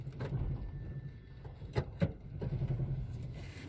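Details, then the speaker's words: Hyundai car after engine change, at idle: uneven rumble with irregular thumps and stumbles, heavy missing persisting after clearing codes, code P2188; engine misfire at idle. "में बहुत ज्यादा miss कर रही घड़ी है"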